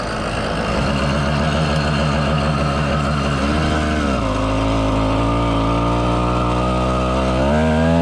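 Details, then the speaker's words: 110cc two-stroke motorized bicycle kit, heavily loaded with a bag strapped to the rack: the buzz jumps up in pitch under load without matching speed; the clutch slips for the first time. "That sounds promising. Whoa, hello. It never slipped the clutch before."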